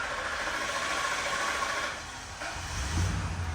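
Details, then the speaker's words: Ford Econoline van, 5.4L, warm after half an hour of driving, restarted about 8 minutes after shutoff: the starter churns in a long crank before it catches. The fuel pump check valve drains the lines back; needs a fuel pump module. "It's got a check valve in the fuel pump that's draining back, and the fuel lines are emptied out. Needs a fuel pump module."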